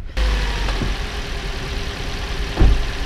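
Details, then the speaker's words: Toyota RAV4, about 2013, idling after swapping coils between cylinders 2 and 3: lumpy uneven idle with occasional stumbles; misfire stays on cylinder 3, spark plug suspected. "And the misfire is not moved. It's still on number 3. Which would mean that we've either got a dead spark plug."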